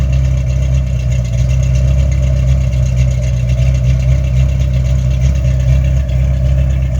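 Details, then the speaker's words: 1983 Ford Fox-body Mustang carbureted V8 after a different carburetor was fitted; throttle stop now working, secondaries opening enough blamed for the high running. Steady, even low idle rumble with no misses, stumbles or knocks; normal healthy idle. "So we can hear this thing run now. This thing sounds good. Listen to that."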